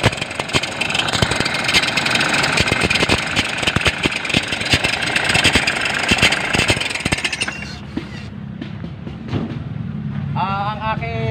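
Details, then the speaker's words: Toyota Innova diesel at idle with battery warning light on: loud busy idle with rough clattering rattle from the front of the engine; alternator clutch pulley failed. "Ayan sobrang ingay ng ano niya ah tind natin kung ano ang maingay diyan bearing o yung clut p ng alternator"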